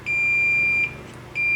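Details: Multimeter in diode mode gives a high, steady beep, stops briefly, then resumes when testing the horizontal output transistor on a ticking Wells Gardner K7400 25" arcade monitor chassis: the HOT is shorted.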